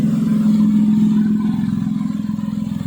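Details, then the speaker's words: Japanese AVY turbo engine swapped into a Perodua Kancil with new bushes, left idling about half an hour with the fan on; even, steady idle pulse around three and a half beats a second, smooth low hum, no knocks or misses — normal idle. "enjin cantik ah. cantik."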